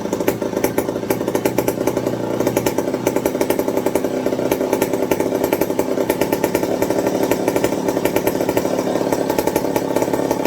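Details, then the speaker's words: McCulloch 55 gear-drive chainsaw after a homemade Scotch-Brite pad tank wick and a 090 carburetor swap to cure fuel starvation: crisp, regular two-stroke popping at an even rate without stumbling or surging; running smoothly, normal. "i'm going to call that a win so like i said i said i wouldn't do the 0.90 swap but as we can see she's driving great with it"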